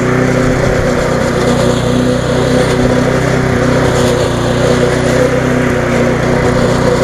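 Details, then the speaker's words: Viking (Stihl) mulching mower with Briggs engine after classic carb refurb and new spark plug, suspected water ingress; steady, fast single-cylinder buzz at constant speed, smoke easing off, no surging, misfires or hunting; running smoothly. "but you see it easing off now the smoke it's running quite well to be on the free button a little bit fast"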